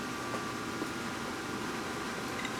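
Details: Cheap pellet smoker running on a new replacement control board and igniter: steady, even fan whoosh with no rattles, scrapes or surging while pellets feed and drop in, igniter cherry hot, drawing 1.80 amps; blower and feed run normally.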